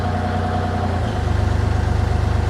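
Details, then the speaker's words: Excavator diesel driving grapple rotator through flow-control valves set one turn open: steady drone drops about a second in into a heavy pulsing lug as the pump pushes against the restriction. Engine lugging under hydraulic load. "And you can hear the engine stalling cuz it's trying to push us all that fluid, but it can't."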